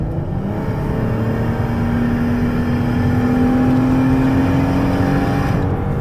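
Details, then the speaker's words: 2015 Dodge Caravan SE mobility van, 59,972 miles, accelerating on the highway to about 70 mph: even hum rising smoothly in pitch over road and wind noise, smooth transmission shifts, no knocks; normal acceleration. "Okay, the transmission shifts smooth, got it to about 70 miles an hour there."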